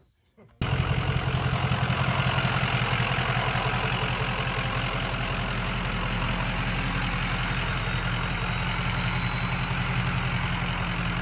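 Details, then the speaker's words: Bullnose Ford F350 with 6.0L Powerstroke V8 diesel swap, after fixing a misfire from a broken number five injector: steady even idle with deep low rumble and light clatter. "That's much better."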